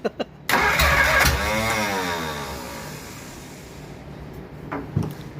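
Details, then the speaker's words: Replacement engine for 1947 Plymouth Special, sat since 1975: cranks, catches briefly with a few pops and falling rev, then dies; valves stuck open, confirmed after head removal. "well it's at this point in the video we realized that the head had to come off that we most likely had some valves staying open stuck and we did"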